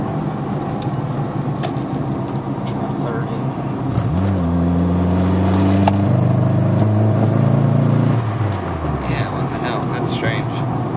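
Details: 2003 Mazdaspeed Protege under boost, dropped to second gear: engine note climbs steadily then stumbles and breaks up mid-pull with hesitation at varying points, not clearly rpm-related; misfire under boost, cause not pinned down.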